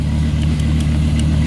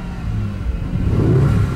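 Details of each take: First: 1990s Dodge V10 with Tremec T56 manual, exhaust banks of five cylinders each kept separate: deep steady lumpy burble with even low throb, no knocks or ticks; healthy idle, runs a little rich. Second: Cheap Lamborghini at startup, dim cluster showing odd codes, car shaking with RPM wandering: uneven, lumpy engine note; rough running, feels down on power, as if running on half its cylinders, likely misfiring.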